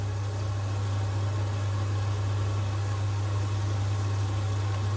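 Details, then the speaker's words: Potterton Promax Combi HE Plus 28 boiler after its expansion vessel was replaced: burner and fan give a steady, even low hum with no rumble or flutter. The gas error is gone, pressure holds just over 1 bar and the temperature gauge reads steady. "oh my god she's fired up [Music] it's good yeah that's fine I'm not worried about that because it's all clean itself lead but we don't have the error anymore which is the gas error"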